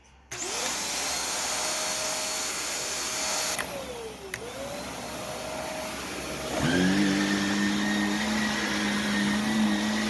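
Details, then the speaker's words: Brand new Shark vacuum: the motor spins up with a wavering whine, then a coarse, loud low hum takes over. The owner says the motor sounds awful for a new machine and the switch feels poor, though suction is good. "that switch feels like crap then that Motors and that motor sounds awful and this thing is brand new so that's pretty pathetic"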